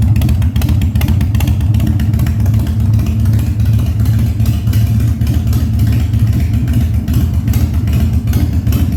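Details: 1997 Harley-Davidson Fat Boy after carb cleaning, new spark plugs and new battery, no air cleaner fitted; cold start on choke at 70°F, humid. Deep, even potato-potato rumble climbing cleanly with each blip, no popping or backfire; revs normally.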